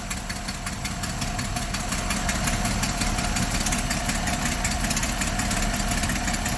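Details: Roughly 1960s–early 70s GMC C5000 harvest truck big six, unrun for 8 years, jump-started with gas poured into the float bowls: runs unevenly with a loose, ragged beat and clattery ticking, fading as it starves on priming fuel only.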